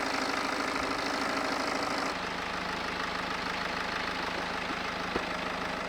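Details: BMW E91 LCI diesel, used replacement engine with new timing chains; even idle clatter with climate fan hum joining partway (AC lowest, heat max); idle holds smooth, engine runs pretty good, normal diesel idle.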